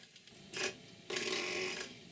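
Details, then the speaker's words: New model steam plant boiler at about 40 psi, hand feed pump adding water: two rasping hissy strokes half a second apart, unusually noisy, possibly excessive ball travel in ball valves; still pumping water. "pumps make noises like this and other ones don't this one is particularly noisy it could be that the ball trouble is a bit excessive inside the ball valves but anyway it's still pumping water into the boiler which is the main thing"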